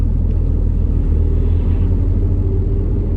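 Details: 2012 Suzuki SX4 AWD with CVT: deep in-cabin rumble with a loose throbbing pulse during a low-speed test drive, vanishing just above 60 and unchanged in neutral; caused by a seized U-joint on the rear propeller shaft.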